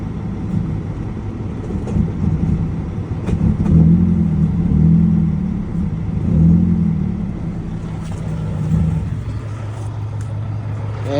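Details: 2012 Mazda 3 Skyactiv at idle with check engine light on: a low, uneven note that surges and sags, then fades as the engine dies and won't restart; rough idle and stalling.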